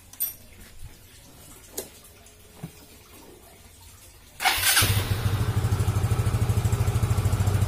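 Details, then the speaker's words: Yamaha Xeon GT125 that stalled with unstable idle, after cleaning the dirty ISC idle air valve: scooter fires up and settles into a steady, even idle at moderate rpm, not too high, without stumbling; runs normally. "rpm nya tidak besar tidak normal kita coba saja buat jalan-jalan"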